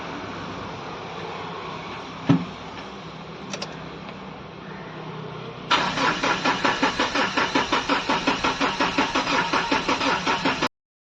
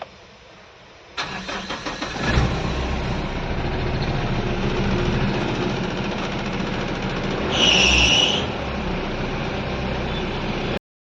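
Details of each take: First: Mahindra Bolero diesel after water found in fuel, dirty diesel filter, line and tank cleaned: steady starter cranking at about three compression beats a second, never catching; no-start from low fuel rail pressure. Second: Mahindra Bolero diesel after injector control valve parts replaced, earlier rail pressure only 70-80 bar from a leaking-back injector: short crank, catches in about a second, steady even idle with one brief rev blip; now starts normally.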